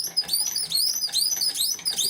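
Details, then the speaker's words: Bow or pump drill with a new bamboo spindle, run fast under heavy pressure; sharp high squeaks repeat about three times a second with each stroke because the cord has stretched. "cord is starting to stretch already hear the squeaking you know what it's it's stretched"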